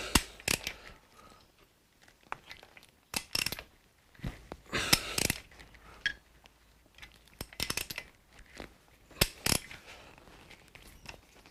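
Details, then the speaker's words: Suzuki GS1000 motorcycle parked for 20 years, carburetors removed, engine rocked back and forth by hand in a quiet room: scattered crunching clicks in short bursts, sounds terrible; internal grinding, cause not confirmed. "I can hear it it sounds terrible"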